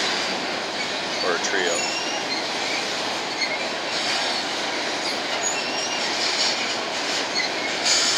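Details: Empty BNSF grain train led by two GE locomotives, heading to North Dakota at sunset: high thin squeal rising and fading from a few wheels over rumble and clatter; wheel squeal, cause unknown.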